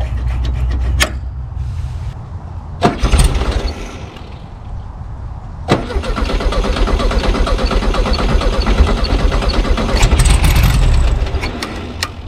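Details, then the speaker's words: 1974 Volkswagen Super Beetle left in a field since 2002, first start after carburetor and accelerator pump cleaning: several cranking bursts, then catches and settles to a steady low idle; normal start, owner notes slight ticking or knocking, oil needs changing. "okay so it's running it's running decent"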